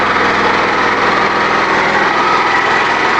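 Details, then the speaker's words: New engine on a wood-gas generator, about 10 hours run, producing electricity under load; the owner says it is hard to start. It runs with a steady, even small single-cylinder buzz, no popping or exhaust-leak chuff, and exhaust so clean it has no smell. Normal running. "it runs very well but it's really hard to start for some reason no smell the exhaust if I'm Reon it's running so cleanly it can't smell it"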